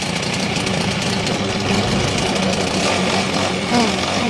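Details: Four-stroke grass cutter that stalled when throttled, after carburetor screw adjustment with a flat screwdriver: steady, even small-engine buzz with no misses or surging; mixture sounds right and runs smoothly.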